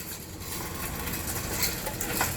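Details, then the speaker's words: Bicycle pedalled with chain removed: gritty metallic scraping, creaking and sharp clicks from the bottom bracket (not the freewheel), sounding like dry, broken bearings inside. "esse aqui dá um estalo e ele fica rangendo parece que tá tudo bilha Seca Tudo quebrado por dentro então o barulho aqui é na caixa Central não é catraca né"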